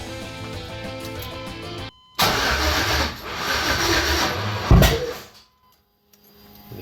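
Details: 1989 Chevy S10 Blazer with 2000 Silverado 5.3L LS (stage 3 cam) and NV3500, first start attempt with 58 psi fuel, spark and injector pulse confirmed: cranks about three seconds, one loud bang, cranking stops; same with new harness, owner suspects the replacement crank sensor.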